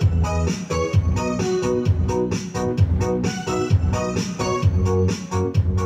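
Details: Home Vision amplifier in its final test on MP3 input after replacing the faulty main volume, balance and GRC parts that caused distorted sound: organ music plays clean and full with no crackle or distortion on the peaks, so it sounds healthy.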